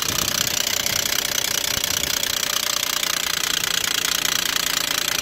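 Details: Stolen-recovered Volvo XC90, first start: hard, almost diesel-like clattering knock at idle over a harsh hiss; tired engine with a serious internal knock, cause not confirmed; the engine is judged terrible and due to be torn down.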